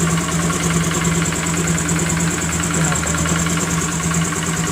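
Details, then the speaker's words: Honda Grazia BS4 scooter after tightening the spark plug: steady, even idle with smooth low hum, no ticking or rattle; engine sound now smooth. "एकदम sound smooth हो गया दोस्तों कोई तरह का आवाज़ नहीं है"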